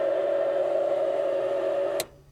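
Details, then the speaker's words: Light aircraft that sat 15 years, battery and beacon switched on: a loud, harsh hiss with a steady high-pitched tone, cut off abruptly when switched off; a noisy radio or electrical static whose cause is not yet found. "that sounds terrible i am flipping all the switches here"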